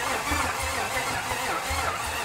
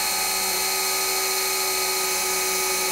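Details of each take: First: 1955 Buick Special parked since 1968, first start attempt with eyeballed timing: starter turns over sluggishly and unevenly without catching until a jump pack is added; slow cranking from weak battery. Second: 1955 Buick Special engine, parked since 1968, oil pump primed with a drill: steady even drill whine without labouring; pump pumping strong, about 40–50 psi seen; normal priming.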